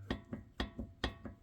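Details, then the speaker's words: Infiniti G35 coupe with original VQ35DE, GK Tech angle kit fitted: sharp metallic clunks, about four a second, as the steering tie rod is pushed and pulled; owner suspects a busted heim joint, other side less worn. "but as you can see right here, if I had to guess, that he joint is completely busted."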